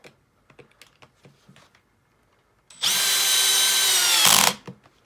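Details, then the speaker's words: Makita XPH07 brushless drill, clutch set to 21, driving a screw into a drilled hole after an earlier run without the clutch snapped a screw head: about 1.5 s of steady high whine, then a sharp cutoff as the clutch releases at set torque; normal. "right perfect clutch worked and stopped it at the right torque"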